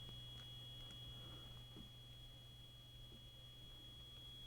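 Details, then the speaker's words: Vintage Fluke 8810A 5½-digit bench DMM before switch cleaning: a thin steady high-pitched buzz or screech over a quiet room hum while resistance reads low, from a dirty, slightly shorted contact in the ganged range switches; cleaning removed it. "we don't have that buzzing sound anymore so that was definitely something in the switch having a dirty contactor uh you know slightly shorted contact that was causing some problems there"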